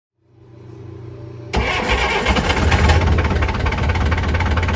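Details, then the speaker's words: Perkins 4.108 marine diesel on a sailboat out of the water, test run after rebuilt starter/solenoid (new brushes, bushings, contactors) and rebuilt injector pump: starter grinds over a second, then fires and settles into an even clatter with no misses; normal running. "And then we did a test run, and I'll show you that on the video."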